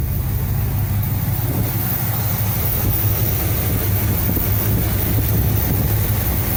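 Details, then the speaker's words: 1975 Cadillac Fleetwood V8 idling about 5 minutes during valve cover gasket replacement, being checked for oil reaching the top end (it does). Low, even rumble at constant speed with no knocks or skips; normal idle. "Okay, it's been about 5 minutes. I'm just idling it, monitoring it for the last about 5 minutes or so."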